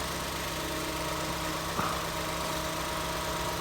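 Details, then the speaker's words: 2014 Ford Escape 1.6L after head gasket replacement: quiet, even idle with faint light valve tick from solid lifters (no hydraulic lifters, clearances checked), no misfire; starts right up, runs well. "You know, like I said, it runs well. Starts right up. Sounds good. Little solid lifter motor. You hear the little valve mechanisms working in there because there's no hydraulic lifters on this motor."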